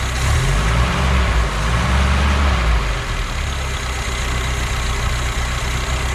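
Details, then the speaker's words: BMW 2002 four-cylinder, revived after sitting since about 2008, running on very old tank fuel plus a little gas poured in; steady, even low rumble with no knocks or misses, idle holds on its own after the poured gas should be gone: normal idle. "it seems to be running because a little bit of gas i poured in there should just about be gone by now but it keeps on keeping on"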